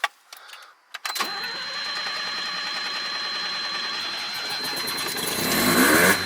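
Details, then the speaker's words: 1985 Mazda RX-7 GSL 12A carbureted rotary, hot, after carburetor idle mixture turned half a turn leaner: short crank, then steady even idle with slight rev rise near end; normal idle. "I think I might try another half turn more lean because that's a pure improvement from what I've seen that's a healthy layer idle if I dare say so myself there"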